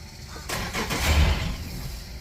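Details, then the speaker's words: Yamaha outboard on the Sportsman boat. A quick, strong crank and it fires right up, settling into an even low run. This rules out a bad starter on either motor; a boat cable problem is suspected. Normal start. "fired up again so we don't have a bad starter on either one of these motors that's a good thing"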